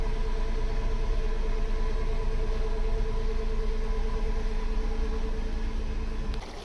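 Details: 15 kW air-cooled permanent-magnet electric inboard, direct drive (no gearbox) on the original 18" prop of a heavy motor cruiser, at 550 rpm under load (up to 900 possible): steady low electric hum, constant tone, no grinding or knocking; running normally.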